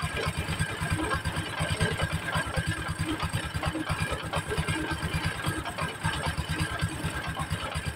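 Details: Honda Supra X 125 idling right after replacement of the clutch bell and centrifugal clutch shoes: uneven clattering rattle loudest at the clutch area over a lumpy idle. Rough knocking, cause still to be found.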